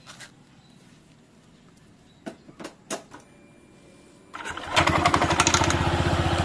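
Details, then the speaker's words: Honda PCX 160 with Nmax double clutch linings after 2000 km, started after reassembly with the clutch retightened: starter whir, then an even idle putter with no rough noise; the CVT sounds smooth, unlike the rough sound on deceleration before the fix. "Nah suaranya seperti itu halus teman-teman beda dengan Sebelum saya kasih lamporting dia ketika turun gas ada suara kasarnya"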